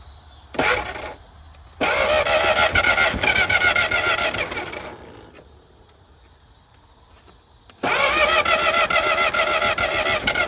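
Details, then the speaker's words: 1950 DeSoto Custom two-door club coupe that has sat since fall 2019, fuel poured down the carb: it bursts into life, sags and stalls, and won't idle without throttle. It seems not to hit on all six; the owner suspects debris on the plug wires. "There she went for a minute. Probably doesn't want to idle."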